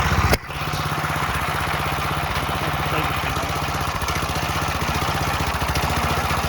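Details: Briggs and Stratton rotavator single-cylinder on a temporary test rig: sharp start then steady, even putter at fast idle with no misses or knocks, running cleanly; normal running.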